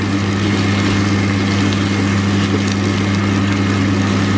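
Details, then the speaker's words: Kitchen range hood fan running: steady low hum with faint higher drone; loud but moves little air, cause unknown. "Слышите, ребят, у меня вытяжка гудит, да? Она такая у меня убойная. Больше гудит, чем вытягивает."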